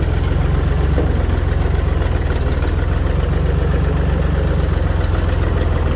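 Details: Tractor running after its rotted-off muffler was replaced with a new one with added welded support; deep, steady low thump with no rasp or blatting from the exhaust; the new muffler is doing its job.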